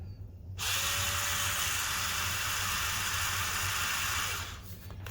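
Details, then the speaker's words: Rechargeable bathroom spin scrub brush after repair, broken push button replaced with a tactile button plus shim: clean start into steady high whine with even hiss, no stutter or grinding, clean stop; motor runs normally. "replacing the broken push button with a normal replacement tactile button and then we put a little shim on the top to help it meet the button better now it's good to go"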